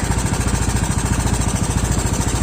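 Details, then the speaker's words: Yamaha Mio automatic scooter after repairing the worn, loose kickstarter shaft and boss: even, steady single-cylinder idle with no rattle from the CVT, which was previously rough and noisy; now smooth. "Bunyinya sudah halus. Pada bagian CVT itu tidak berbunyi lagi, karena sebelumnya motor ini pada bagian CVT itu kasar."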